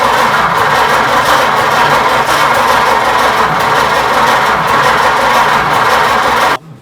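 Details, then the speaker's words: 1926 Oakland after 75 years, with gummy rings suspected: ragged, uneven firing catches for a few seconds, then cuts out abruptly; intake suction at the hand drops off and the engine stalls, cause unconfirmed. "Yeah, it's showing signs of life there no longer now we've done it. Yeah, Deader, it's gone."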